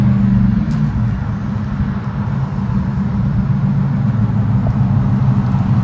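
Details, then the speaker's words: 2007 Chevrolet Silverado after fuel pump replacement, previously cutting off: steady, even engine note rising smoothly with throttle, no stumbling or cutting out; runs normally. "working now not cutting off so you know i mean we're good"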